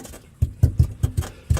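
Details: JDM Nissan 300ZX Z32 Fairlady Z, driveshaft rocked by hand from underneath: six dull hollow clunks with loose free play; centre support bearing worn out, universals likely fine, centre bearing to be replaced alone.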